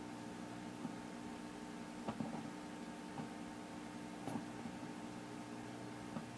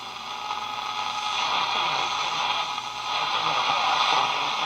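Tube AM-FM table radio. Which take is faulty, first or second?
first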